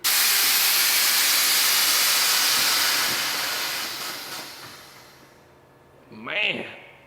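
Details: Truck (UBTK5) with newly mocked-up Accuair e+ Endo CVT air management: loud steady air hiss tapering off over about five seconds as bags dump pressure; normal air suspension exhaust.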